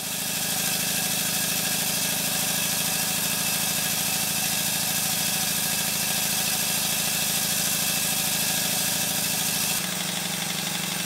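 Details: Small showman's engine test-run on compressed air after fitting a new flywheel centre fitting: fast even beat of about 200 a minute with light ratchet click from the mechanical lubricator; runs smoothly and healthy.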